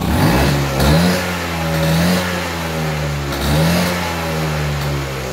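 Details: Restored 1970 Vespa GT (Granturismo) 125 two-stroke with a non-original aftermarket exhaust, fuel nearly empty: buzz rising and falling with two clean throttle blips, no misfire, healthy.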